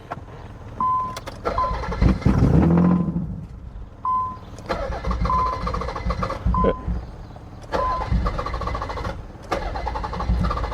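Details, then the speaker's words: Wrecked 1990 Nissan 300ZX with old stale gasoline, starting fluid sprayed in: several short cranking bursts with a beeping warning chime, engine spins but never catches; owner suspects the fuel pump isn't pushing enough fuel, oil pressure seems present. "yeah I don't think it's pushing enough fuel cool thing is we're it actually seems like we're getting oil pressure"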